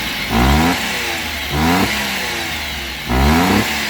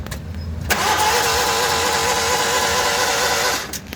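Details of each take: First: Daihatsu Hijet, restarted after sudden stalling while driving: three quick clean blips, revs climb smoothly and drop straight back to steady idle, no misses or knocks, no check light on dash; engine sounds healthy. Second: Daihatsu Hijet van that died while driving, check and temperature lights on: starter spins engine fast and evenly, no compression chugs, not catching; timing belt suspected broken.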